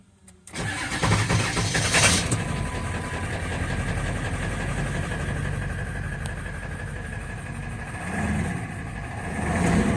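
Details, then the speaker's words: 1999 Ford F350 7.3 L turbo diesel with 217,000 miles, cold start on a summer day: a short crank, then a loud, steady clatter. The engine burns oil, but with no drips or coolant contamination a blown head gasket seems unlikely. "217,000 mil show on the odometer we don't know how many idle hours has this engine this is a cold start yet on a summer's day"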